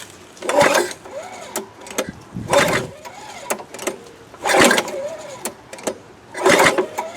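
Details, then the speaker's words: Free 22-inch Craftsman mulching mower, 6.25 hp engine, 1998 standards: four pull-cord cranks with no firing after a shot of fuel; suspected flooded or not firing, intake found full of brown sludge. "Ain't even trying. Nothing? Nothing. Dang, Tim, I thought you'd be the good luck charm. Yeah, may not be, might just not be firing. Or probably just flooded it out big time."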